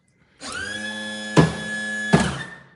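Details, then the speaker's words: 2012 Lancair Legacy hydraulic gear pump during a gear swing on jacks: starts with a steady whine running unloaded, two solid clunks about a second apart as the dump valve and gear doors close, then winds down and stops; normal cycle. "You can just hear that the pump is running with no load. So, I'm going to close this dump valve."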